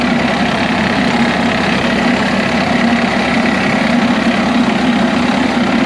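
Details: DT466 diesel in an M36A2 2.5-ton truck, started after bleeding air from the fuel lines. It holds a steady, even clatter at idle with no stumbling or misfire. Normal idle.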